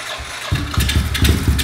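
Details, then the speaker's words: Kawasaki KLX 110 after build, first start indoors: small single catches and settles into quick popping idle through loud pipe; running flawlessly, only minimal tune needed. "Oh my god, listen to that fucking pipe! Makes me happy. It's running flawless."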